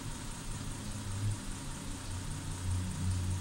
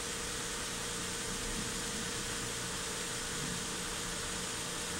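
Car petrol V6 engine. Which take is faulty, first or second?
first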